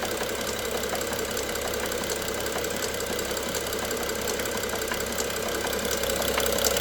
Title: n55 bmw f07 engine knock part 2